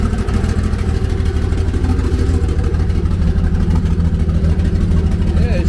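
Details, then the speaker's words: Nissan S13 awaiting transmission removal for suspected clutch/flywheel problem: low, steady idle around 700–800 rpm, no knocks or misses; fuel pressure, oil pressure and temps good; engine sounds healthy, normal idle. "motor i mean the motor sounds healthy that [ __ ] i run in like a champ right now let's see what the idol is at"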